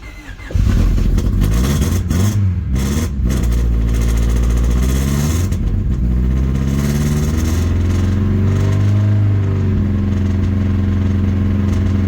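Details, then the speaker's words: Honda Civic after its head came back from the machine shop, plugs tight and lash checked: it catches into an uneven, stumbling idle, missing on a cylinder, with visible blow-by. Owner suspects the injectors or the bottom end. "She's definitely missing on a cylinder. That sucks. Not good."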